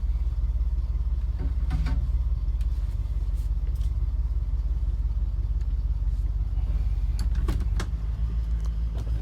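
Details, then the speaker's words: 1979 Ford Bronco cold-started after sitting 2.5 weeks in garage, primed and gas pedal pumped once; fires right up into a steady, even low rumble idle with no misses or knocks; normal idle. "And then I pump the gas pedal once during that process, fires right up. You can hear it running."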